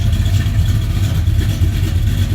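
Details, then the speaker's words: 1978 Ford Courier, first run after the engine was pulled again for a coolant leak resealed with RTV, cold and warming up at about 700 RPM; deep, steady idle with a slightly snarly exhaust and no knocks or ticks; running fine. "you can hear it. It runs good. Just a little snarly. But it's going to take a few minutes to warm her up."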